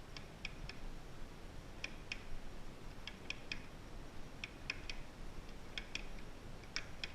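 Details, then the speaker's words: 1988 Harley FXR 5-speed transmission, unknown miles, turned by hand in second gear: faint clustered knocking ticks, smooth in third and fourth; owner suspects third-gear mainshaft cogs interfering with main drive gear. "Almost sounds like kind of like a little bit of a knocking. You kind of feel a little bit of it too when you're first gear, more of the same."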